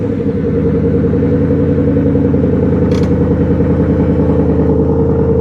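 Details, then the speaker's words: 185,000-mile Ford Mustang GT after replacing serpentine belt tensioner and idler pulleys, AC condenser disconnected: steady even idle pulsing about three times a second, no belt squeal or chirp; healthy. "listen to that sucker perk. All right. You can hardly tell they're moving."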